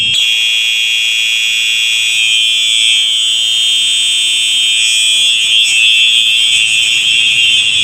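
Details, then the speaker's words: Simplex 4903 electronic horn strobe, wall-mount red, set off in a fire alarm test: shrill, steady electronic horn tone with a slight pulse and no dropouts, somewhat higher pitched than the owner's other unit; normal horn operation. "this thing sounds exactly like my 93 eight voice no it's a little bit I don't know why this sounds a little more higher pitch or something like that"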